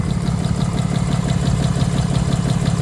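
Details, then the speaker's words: 2022 Ram 3500 diesel hauling about 25,000 lb gooseneck loads, third engine failing with codes P2459 and P242F, at cold-start idle, heard at the intake: louder-than-before pulsing chuff about three per second; compression loss and internal knock suspected. "guys hear that compression that wasn't this loud before when you could come here to the intake sound kind of gets louder"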